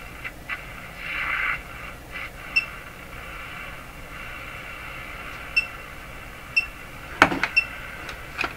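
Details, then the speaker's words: Crosley G2465 two-band radio during capacitor replacement, with a persistent hum; hiss with brief high whistles sweeping in and out while tuning through the band; owner suspects image interference from poor image suppression. "so my past experience now tells me that that is probably the effect of an image some experimenting I did a few radios ago so that starts hinting that image suppression maybe not so good in this radio"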